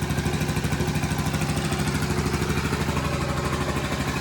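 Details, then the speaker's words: 1984 Honda ATC110 three-wheeler, first start after restoration and eight months not running: steady, even single-cylinder putter at about three beats a second with no knocking or tapping; smoking slightly, likely burning off paint; normal idle. "This thing hasn't ran since last November. It is now beginning of July. I call that success."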